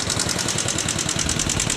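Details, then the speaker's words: Yamaha Jupiter MX motorcycle at idle, rocker arms already replaced but noise returned: sharp fast even valve-train ticking in time with the small single; cause being sought by disassembly, not yet confirmed. "ini kawan-kawan jadi seperti ituah suara ngitik yang terjadi pada motor Jaha jupitar MX ini"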